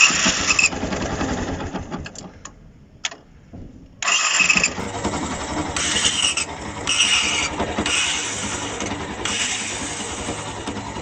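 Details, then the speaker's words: Motorcycle starter motor cranking with a harsh, raspy whir and a brief cut-out; the starter had not seized and still worked, but its brushes were completely worn away. "al principio del vídeo se escucha como el ruido de un arranque que se encuentra en mal estado en este caso pues él no estaba frenado seguía trabajando pero ya estaba completamente sin escobillas"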